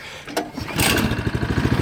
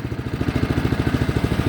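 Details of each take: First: 2015 Craftsman snowblower, cold day, primed three times, choke on, turtle setting: after a recoil pull the engine catches and settles into a steady, even beat of about three and a half pulses a second, a clean cold start. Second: 2015 Craftsman snowblower, cold start, primed three times, full choke: fast, slightly uneven lumpy, loping chug, running rich with too much gas and too much choke and near stalling; it then died.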